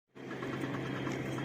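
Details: TVS Ntorq scooter at steady idle with a faint, quick tick-tick riding on top. It comes from the rotor fan area and is traced to a loose starter one-way clutch bolt.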